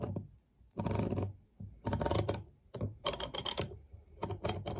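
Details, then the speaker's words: Snap-on half-inch ratchet, rusty and disassembled; detent ball missing, only spring refitted, giving irregular rattly clicks instead of crisp even ticking when swung. "but I couldn't get the ball in place but I had the spring brought back embracing it place and it doesn't sound very good"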